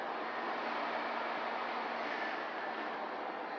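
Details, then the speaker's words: 1987 GMC Vandura that sat a long while, just boost-started on a very cold start after about an hour: steady, even, quiet hiss-like idle with no knocks or misses; the engine runs well, normal. "good sweet this thing's really quiet you can't really hear it"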